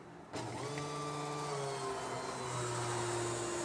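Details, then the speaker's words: 1956 Pontiac 3/4 ton mud truck, LS-powered, with a new fuel cell holding about 5 gallons, fuel pump powered for leak check: steady electric hum settling slightly lower as pressure builds, fuel heard passing the pressure regulator; no leaks, pump working fine. "All right. No leaks. I can hear the fuel running by the fuel pressure regulator. So, we're good."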